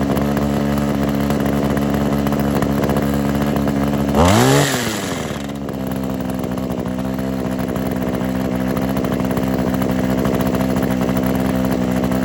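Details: Kawasaki KHT600D hedge trimmer two-stroke after new fuel lines, primer bulb, fuel cap and tune-up: steady idle buzz, brief blip up and clean settle back; starts easily, runs evenly, healthy.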